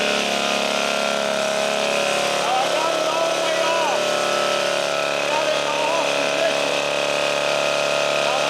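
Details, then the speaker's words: 1952 military DC generator under load: steady, even buzzing drone with a high whine, no missing or knocking; normal generator running. "I turn it I'm going to get okay went the 30 now when I turn it it's going to decrease and the engine's going to pick up speed or decrease not pickup speed is it'll slow down as we lower the voltage"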